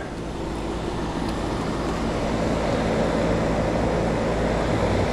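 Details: About 17–18-year-old R22 AC condenser restarted after capacitor fix: steady fan rush over even low compressor hum, no clanks or buzzing; running normally.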